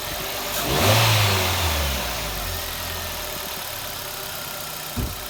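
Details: Hyundai i20 project car with cold air intake (metal airbox removed) and a replaced standard clutch: engine catches with a brief rev flare, then settles into a steady, even idle with no knocks or misses; normal start and idle.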